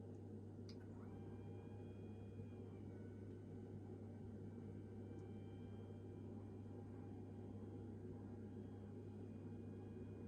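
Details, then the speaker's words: Theraposture Rotoflex rotating bed, rotated to sitting position and raised to maximum height as a troubleshooting check: steady low electric hum with a faint even whir throughout; the lift motor raises the bed normally. "Once the bed is in its sitting position, raise the bed to its maximum height."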